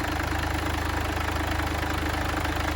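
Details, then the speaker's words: Crash-damaged Mercedes GLA 200d diesel, first start after crash data reset and new battery: even steady diesel idle clatter, no misses or knocks; normal idle. "When you're ready, mate. Yes. Perfect. And sounds lovely."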